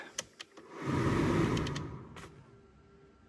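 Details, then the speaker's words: Nissan Note automatic, original heater blower motor refitted after the new one hit its fins and cracked a plug, run up through speeds 2–4: spools to a smooth, even rush of air and eases off, no hitting or rattling; working again. "we've got it working again."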